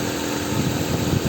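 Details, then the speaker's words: 1996 Nissan Altima after crank-no-start with code P0340, fixed by replacing the distributor; steady, even, smooth idle with no misses or knocks, engine running cleanly after repair. "all right guys so we had a conclusive diagnosis arizona now as you can hear brand new distributor in place okay"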